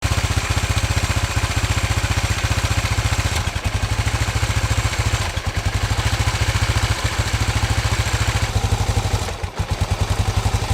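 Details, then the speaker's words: Honda XBR 500 before valve clearance adjustment: a single-cylinder idle thumping unevenly with dips and stumbles where it nearly dies; stalls at idle, a known issue on this model, cause not yet confirmed. "hello as you can see with my xbr the um installing um some days it's perfectly fine but most of the time it stalls and it's quite annoying to um ride with"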